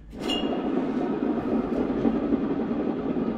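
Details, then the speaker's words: MTD White Outdoors zero-turn mower, sat 3–4 years: deck spindle spun by hand gives a loud steady dry rumbling grind with rattle; worn spindle bearing needing replacement. "you guys can hear that it's pretty loud so I think what I'm going to go ahead and do is pop off the nut and the pulley here"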